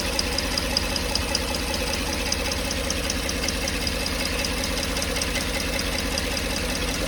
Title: Odd tapping noise from the 5.3 #dadsgarage #automobile #mechanic #diy